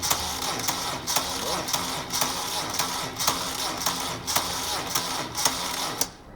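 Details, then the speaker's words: Moto Guzzi Breva 750 with a new battery that sat too long before being installed; dry click about once a second with no cranking; battery too weak to turn the starter, failure to start. "Another failure to start. I've let this battery sit too long before installing it in the Guzzi."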